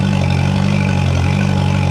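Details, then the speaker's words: 2011 Yamaha T50 outboard after replacing fuel line, bulb, filter, thermostats, spark plugs and low-pressure fuel pump (previously rough, running rich): steady deep drone, even low rumble, revs smoothly without misses; sounds a lot better. "thought it would run a little smoother changing all that, but sounds a lot better."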